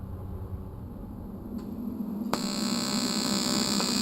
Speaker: all right we're welding the aluminum here and you can hear that sort of growling noise that's just the alternating current and that's exactly what it's supposed to sound like